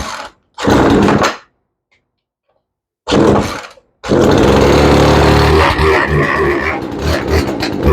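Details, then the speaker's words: Craftsman chainsaw that wouldn't start, started on full choke: catches after two bursts, then runs rough and bogs down; carburetor needs tuning. "Okay, she needs a tune-up, but she sounds pretty good. You can hear it bogging down."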